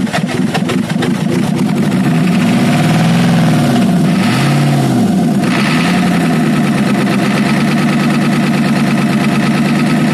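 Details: Ford F350 6.9L IDI diesel after injection pump replacement and bleeding: idle with an uneven, lumpy beat, about three pulses a second stumbling irregularly; rough idle, owner suspects a dead cylinder, not confirmed.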